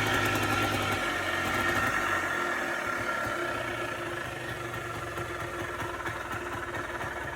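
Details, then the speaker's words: Polaris Trail Boss 250 4x4 ATV rescued from the scrap yard, idle screw turned up, started by pull start; settles into steady idle with even beat, slight rev drop after a blip; idling normally. "All righty, guys. As you can hear, she's alive. She idles. This was all after pull start."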